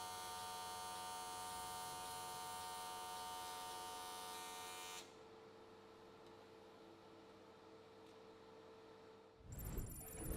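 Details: AC TIG welding aluminium S13 catch cans on square wave at 95 Hz with adjusted settings: steady, even buzz for five seconds, quiet, then restarting near the end; normal, smooth, stable AC arc.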